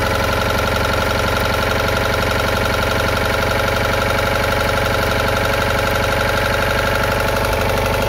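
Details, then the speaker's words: Citroën Ami 8 air-cooled twin, engine already hot: loud uneven stumbling idle with heavy ignition misfires, breaker points sparking heavily and weak spark at the plug; failing ignition condenser blamed, engine also coughing through the carburetor. "Donc là voilà, on a pu voir que le condensateur déconne. Qu'il y a des gros ratés d'allumage aussi."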